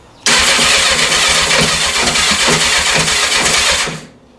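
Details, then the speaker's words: 1984 Honda CB700SC four-cylinder, first start attempt after fixing a no-spark fault and a stuck carb float, full choke, clutch in: about four seconds of rhythmic cranking with uneven puffs, little smoke from carbs, never catches; cranks but won't start. "go little smoke out of the carbs it's trying we'll do half choke"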